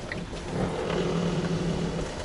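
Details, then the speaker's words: 1992 Toyota Century V8 (5V-EU) on 20-inch 35mm-offset rims with 245/40R20 tires, reversing to the left at full lock out of a parking space. A low moaning rub rises and fades as the tire scrapes the wheel well; rubbing is considerable. "let's see if there's rubbing there's a considerable amount of rub but if I do it slowly then it may not be that embarrassing parking space"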